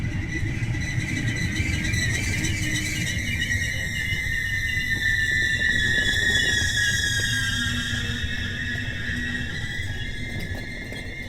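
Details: DB class 245 locomotive hauling an RE6 regional train of old IC and car-carrier coaches, braking at Lunden station: a long, piercing high brake squeal holds steady over the low rumble as the train slows.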